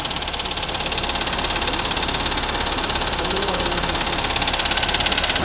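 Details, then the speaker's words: Waterlogged MG Hector petrol engine, misfiring with warning lights on: rough running with a steady hard knock about three per second from the bottom end; a bent connecting rod, fixed by replacing the piston and connecting rod; connecting rod knock. "पेट के सामने आ रही है ना यह उसकी कोई connecting road bank हो गई है"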